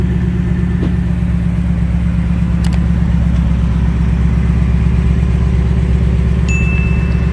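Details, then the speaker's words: 2018-2019 Mustang Shelby GT350 after an oil change, checked for an earlier tick: a steady, even idle with a smooth low beat and no ticking; the engine sounds healthy. "so far the car sounds really good no ticks so far"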